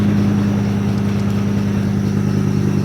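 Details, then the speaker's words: Ford work truck with 73,000 miles at idle: steady low rumble with faint fast ticking, a leaking exhaust manifold needing new bolts and gaskets; otherwise runs, drives and plows. "it's quiting down it definitely needs exhaust manifold bolts and gaskets done to it but as it sits here it runs and drives"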